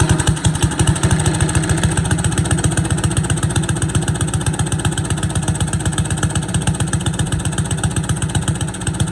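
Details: Boland's 3.5 chipper shredder, unused for at least 20 years, running on its own gas tank without starting fluid, fuel line dripping slightly: quick, even popping of a small single around four beats a second, steady with no misfire; running cleanly.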